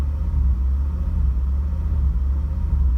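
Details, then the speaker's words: Mercedes E500E held about 2500 rpm at light throttle, after mass airflow sensor swap cleared codes: deep rumble stumbling unevenly; strong misfire, owner suspects a fault behind the original distributor cap and rotor insulators, not confirmed. "like it just a real strong misfire"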